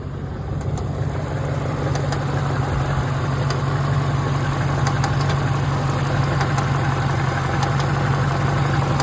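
Steady idle with a faint, irregular light tick riding over the engine note; cause undetermined from the sound alone.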